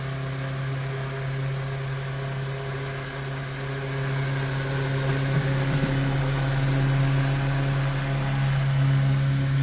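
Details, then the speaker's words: 1930s Robbins & Myers vintage fan after full restoration, reassembled with new plug and cage screws: a smooth, even motor hum at constant pitch with no brush crackle or scraping; runs normally, only the oscillator knob is loose. "Robinson Meyers 1930s vintage fan. Oh, that oscillator knob is blue. So, I'm going to have to tighten that. But she works."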